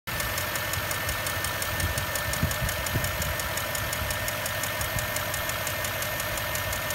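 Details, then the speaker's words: Land Rover Discovery 3 4.4 V8 petrol at idle: fast, crisp lifter-like ticking above the engine hum, traced to a spark plug whose inner insulator had fully separated. "клиент обратился жалобой на низ настолько в моторе цокающие похож на гидрокомпенсатора при откручивании свечей зажигания для осмотра цилиндров был обнаружен что внутренний изолятор полностью изолятора отделился"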